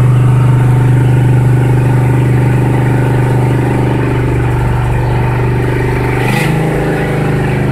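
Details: 1976 Ford F-350 V8, cold start after two years without starting: steady, fast idle, even firing, no misses; idle still set too high, choke and PCV not yet hooked up.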